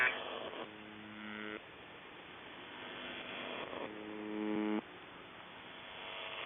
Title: Weird Buzzing Sound On The Buzzer 7.2.2025